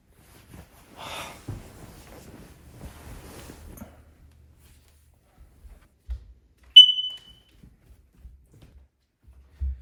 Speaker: now when you hear a smoke detector chirp you want to replace all of the batteries in all the smoke detectors in your house